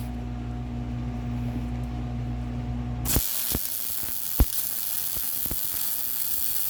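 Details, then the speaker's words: MIG welding motor mount for Honda Odyssey FL350 electric conversion after wire speed lowered from too fast to 5.5: machine hum then even bacon-like crackling sizzle with a few sharp pops; sounds way better, normal weld. "That sounds way better. See, way better. Yep. Yeah, it just sounds better too."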